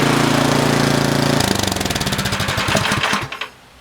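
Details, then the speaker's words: Yardman (MTD) snowblower with LCT single-cylinder engine, no-start after sitting years, fixed by dumping carb bowl and flushing gas tank: steady even chug at 3400 rpm, then slows and coasts to a stop at shutdown; normal running. "it runs it's alive 3400 rpm just fine should be okay"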